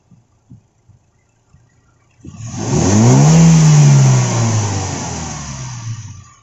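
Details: Toyota Innova, 1TR engine, revving up and falling back with an uneven, stumbling note under the rise; engine misfire, cause not yet found.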